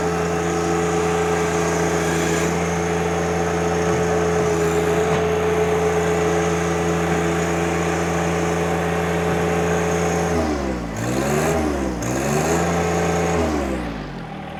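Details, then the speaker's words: 2020 John Deere 1025R diesel sub-compact tractor, 63 hours, range in high: steady diesel hum whose pitch sags and recovers a few times as the front auxiliary hydraulics take load. Normal behaviour. "Now, one thing I'll do, it does have, again, the auxiliary hydraulics, and you can hear it hold the motor down. That is the auxiliary hydraulics out front, all operating the way they're supposed to."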